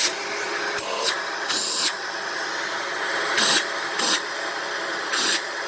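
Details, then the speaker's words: Dyson DC18 Slim All Floors upright vacuum (made December 2006): steady roar with thin constant high-pitched whistle and rushing air; owner suspects cyclone shroud holes plugged with cat litter, not the motor, and plans to clean the cyclone assembly. "yeah I think it's just making that noise because the some of the shroud holes are plugged with cat litter I could be wrong though but I don't think that's the motor"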